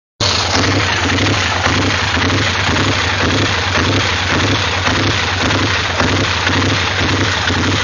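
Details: 850 engine idling with an uneven beat pulsing about three times a second under a loud steady hum; rough idle, cause not identified.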